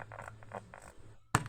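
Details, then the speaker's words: Crackling from a Music Masters Wagner valve radio powered through a dim bulb, the 6V6 heating: irregular crackles and scratchy bursts over a quiet hum, then a sharp pop, caused by a loose valve socket contact. "Have we got a loose connection here or something? Oh, yeah. Look at this. Oh, I can hear crackling."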